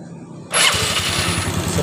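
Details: Yamaha Mio scooter after a pulley and roller replacement that caused a slipping one-way starter clutch noise: a short electric crank catches at once into an even idle with no slipping whir; fix was using grease sparingly in the CVT.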